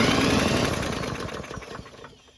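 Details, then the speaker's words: Murray mower with spark confirmed, fuel added and primed with the primer button: brief choppy pull-start cranking fades out without catching; cranks but won't start. "Unfortunately, it didn't do anything, and to test if the carb is the problem, we'll prime the engine again, but with our bottle of fuel."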